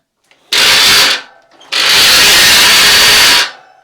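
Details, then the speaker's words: Giant Twist Double e-bike with a roughly 30V Sanyo front hub motor, front wheel on the ground under hard pedalling: two harsh, loud grinding whirrs, one brief and one about two seconds. Worn internal hub motor gears. "dat klinkt niet goed. Dus we gaan het wiel eruit halen en openmaken."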